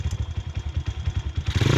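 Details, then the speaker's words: Honda CRF110 pit bike right after a valve adjustment and cam cover refit: quick uneven single-cylinder thumping at idle, then revs rise; sounds better than before but a loose bolt clatters metallically, location not yet found. "Sounds better. There's a loose bolt, but the sound is better. Figure out where this fucking loose bolt is. It's driving me nuts."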